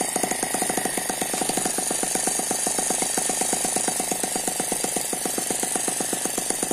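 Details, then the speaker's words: Eachine ET9 (M15) mini gasoline engine, a dynamically balanced single cylinder with twin internal counterbalances, running on a tarpaulin: fast, even popping at about nine firings a second with no misses or knocks; very smooth running. "very smooth so that's a very smooth running engine it does not dance around the main vibration here is because it's on top of this this tarpaulin"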